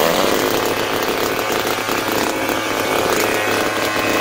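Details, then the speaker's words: Butane-gas grass cutter engine after carburetor repair (cleaned, diaphragm and gasket refitted, new spark plug), being revved and adjusted: steady even high buzz with no misfire, stumble or rattle; repair successful. "động cơ đang tăng tốc và đang được điều chỉnh. Việc sửa chữa đã hoàn tất thành công."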